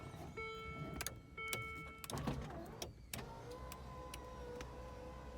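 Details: Land Rover Discovery II sunroof test after motor and glass replacement, with the headliner nearly refitted: steady, even electric motor hum with no grinding or straining; rear sunroof working normally.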